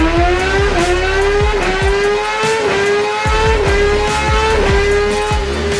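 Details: 2017 Kawasaki ZX10R on the dyno, final full-throttle run after clutch readjustment, tune and quick-shifter setup. Hard wide-open pull with pitch rising then dipping crisply about six times, roughly once a second. Clean quick-shifter upshifts, healthy engine.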